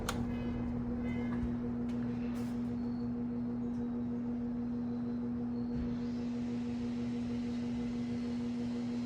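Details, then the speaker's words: Vintage Sears box fan (free find, ad said must be spun by hand), first power-up: on low after medium in intake, motor hums steadily with little airflow, spinning very slowly; owner suspects burnt windings or bad switch. "Interesting. It spins very slow on medium and low. I wonder if the windings aren't burnt up in it."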